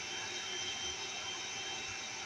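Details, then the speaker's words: CNswipower inverter: constant loud airy hiss from its cooling fan, no change in pitch or rhythm; normal but loud fan noise under load. "going about 130 Watts running the air conditioner right now this one is much quieter"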